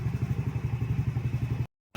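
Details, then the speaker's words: Yamaha Mio MXi scooter after repair of a no-start (fuel pump silent; new pump and IC didn't help) caused by a corroded, broken wire; stock ECU now working, low steady putter with even firing: normal idle. "So ayan okay na siya. Gumagana na yung ECU na stock dahil lang sa corrosion na wire naputol."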